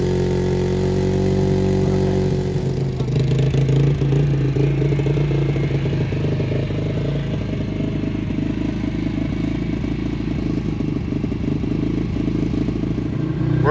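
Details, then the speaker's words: Kawasaki Brute Force 300 ATV after carburetor cleaning, which had been hard to start and would not idle: catches within seconds on choke, then a steady, even putter that holds without stalling with choke off; carb may need slight adjustment. "like a charm choke is off it's idling but I could probably adjust that carburetor a little bit"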